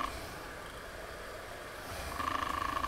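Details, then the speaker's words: Broan-Nutone bathroom exhaust fan model 684-D/2684F-A, tested off its bracket after cleaning: rough fluttering, uneven drone from the motor, likely play worn into the shaft; motor to be replaced. "oh yeah making noise even off the bracket quiet noisy"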